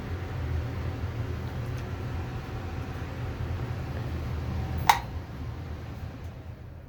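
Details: Amana 95 IIQ two-stage variable-speed gas furnace on continuous fan setting: steady low rushing airflow with even hum, no knocks or rattles; blower running smoothly, normal.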